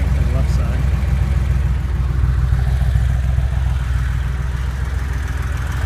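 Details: Porsche 911 engine at idle: deep, steady idle carrying a light repeated knock, roughly three per second and not perfectly even; an engine knock of unknown origin.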